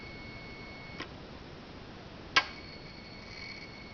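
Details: 2013 Hyundai Genesis Coupe 3.8 GDI with ignition on and engine not running: a faint steady high whine with a sharp click at each light press of the gas pedal. The owner suspects an abnormal throttle body or its electric motor and plans to replace it.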